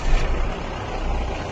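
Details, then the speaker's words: Mahindra Bolero diesel at startup, bonnet open: rough clatter with uneven low rumbling wobble from damaged water pump bearing, fan and pump visibly vibrating; failure blamed on over-tightened alternator belt; fix is replacing water pump. "उसके अंदर एक अलग सा vibration है। जिस वजह से गाड़ी जो है ना इस तरीके का अजीब सा साउंड कर रही है।"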